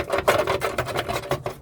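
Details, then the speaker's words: 2007 Toyota Tundra underside, rusted, engine off: tinny metallic rattles in quick bursts, about five a second as the panel is shaken; loose heat shields hitting the pipe cause rattling while driving. "This is a Well, it's an old truck but it was still running good but it rattles loud but then I know why, man. All of these are all loose."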